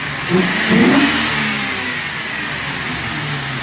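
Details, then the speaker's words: Ford Crown Victoria after a P1409 repair: the open-circuit EGR vacuum solenoid, which caused a cold rough, lean run, was found and a cleaner run through. A quick rev blip settles back smoothly with no misfire; it sounds healthy. "now car sounds good we ran a little bit of a cleaner through it and this thing has never sounded better in its life"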